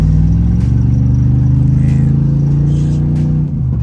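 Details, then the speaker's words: 1995 Chevy Impala SS driving fully warm, about an hour after the Opti-Spark replacement: a deep, steady engine drone pulling evenly under load with no stumbles. The earlier sputtering at operating temperature is gone; normal acceleration. "So now the sputtering that my car was doing is not doing it no more. Everything checking out fine. She running like a champ."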